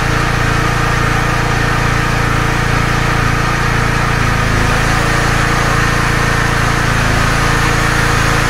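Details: Small generator, claimed 5500W but at least 1.5kW, powering household load through a multi-socket; a steady, even engine drone pulsing about four times a second with no misses or knocks, running healthy under load.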